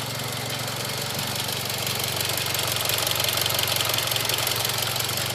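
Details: Mitsubishi Evo X GSR idling, heard from outside the car and inaudible inside: quick even ticking, about three per second, over a smooth idle, louder than before; later judged normal, with many trouble-free miles since; normal engine ticking at idle.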